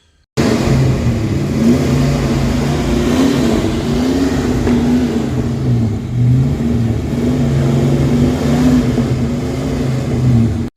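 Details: Ford 302 V8 in a Mustang: revving with an uneven, lumpy beat, two dead cylinders, one partially, from valves held open after over-tightening the valve adjustment; misfire.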